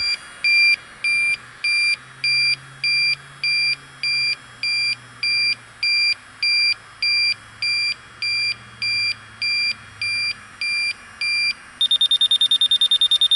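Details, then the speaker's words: York rooftop unit in the wind: electronic leak detector beeping steadily about a hundred a minute jumps to rapid high chatter as the probe goes into the evaporator coil; refrigerant leak located there, probably more on the back side. "So our leak's right in there. Probably on the back side more."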